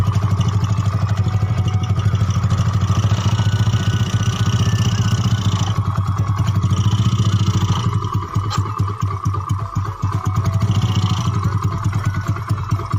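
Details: Yamaha Mio bored up to 150cc with standard parts, freshly assembled, first start test (previously rough, worse when hot): loud, steady single-cylinder putter with a throaty exhaust, no knocks or rattles; normal idle.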